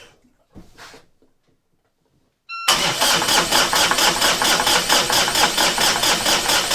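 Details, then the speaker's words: Volvo Penta D130 (about 30 hp) diesel in a Contrast 33 sailboat in cold winter, during winterizing after a dead battery: starter cranks steadily at about two beats a second but never catches; cranks but won't start. "So it looks like this engine is going to be a little bit difficult to start now, and I don't really have time to figure out what's going on."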